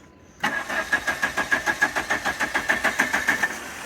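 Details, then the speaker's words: 1985 Dodge Daytona Turbo barn find after a used Hall effect sensor swap from an '84 Turbo Z: the starter turns over at about three and a half even pulses a second but never catches or pops, even with spray; wiring unchecked. "So it's still just cranking. It's not even trying to pop."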